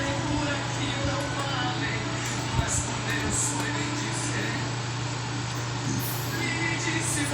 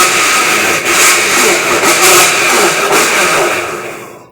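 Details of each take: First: Electrolux LTD13 13 kg top-load washer after replacing a broken actuator: agitates with only a low, steady hum, no knocking or clunking, running normally. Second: Electrolux LTD13 13 kg top-load washing machine agitating, running with pressure switch simulated: loud harsh grinding roar swelling with each agitation stroke, caused by a cracked drive actuator.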